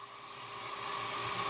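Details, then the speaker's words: Centrifugal water pump with valve fully open drawing about 8.07 A against 8 A nameplate; steady gravelly hiss with faint hum, cavitation from flow above and pressure below recommended, hydraulic overload overheating the motor. "when we hear this noise we must know that the operation is not correct and this noise is due to cavitation"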